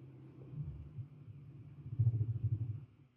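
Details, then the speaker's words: Car with PRINS VSI LPG system, switching to LPG: low rumble surges unevenly then dies; engine stalls right after switchover, long-standing cold-switch stalling, cause unclear, reducer or Keihin injectors suspected. "and it went off, so the question is what happened or is it too low?"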